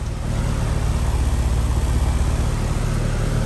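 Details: Heat pump condenser, 2011 three-ton R22 ICP unit, restarted after a new capacitor, following buzzing with the compressor suspected in thermal overload: deep steady compressor and fan hum, no clatter; normal start and run.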